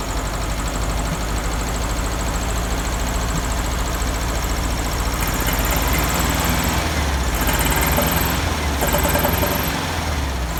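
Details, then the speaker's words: 1971 VW Beetle air-cooled flat-four with cleaned reproduction Kafer 34 PICT-3 carburetor replacing a 30/31 PICT, just started and still partly choked: uneven, wandering rough idle; carburetor needs adjustment, heavier spring fitted, no fuel leaks. "well definitely gonna have to adjust the carburetor it does work"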